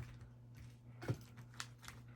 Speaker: You're just hearing all the tuning keys rattling. You hear them rattle. That's because they don't have any tension on them. They're loose and sloppy right now because there's no strings holding them nice and tight.